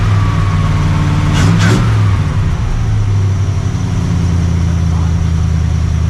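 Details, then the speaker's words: 1982 Dodge Ramcharger W150 V8, carburettor on choke warming up after sitting seven months: steady low idle with none of the earlier growling, previously blamed on the bad steering gearbox. "But I don't hear any of that growling. No either."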